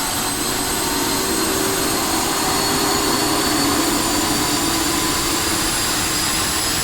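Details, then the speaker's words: Honeywell GTCP 331-350 APU (1,400 hp, Airbus A330/A340) running in a test cell at 100% speed, about 41,700 rpm, with acceptable vibration: a steady loud turbine roar with an even high whistle, the inlet guide vanes known to whistle; normal running. "okay so we're up and running and on speed now so you can see here it says 100 rpm"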